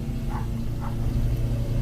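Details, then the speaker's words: 2000 GMC Safari 4.3 Vortec V6 after fixing damp-weather no-start and stalling by adding an ignition ground wire: final check, starts right up and holds a smooth, steady idle with no misfire. "here's the final check starts right up"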